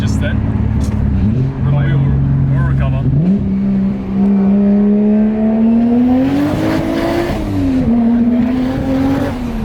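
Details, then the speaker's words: Toyota Chaser with a 1JZ making 450hp, heard from the passenger seat under hard throttle. It pulls clean in second gear, then misfires and breaks up, wavering and stumbling near the top. Cause not confirmed. "It's misfiring though. Like Yeah, you can hear it, right? Yeah, I can hear it. It's like breaking up."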